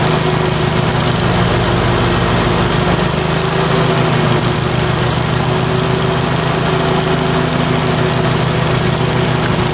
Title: Tecumseh 22HP surging - alternate misfire on each cylinder - random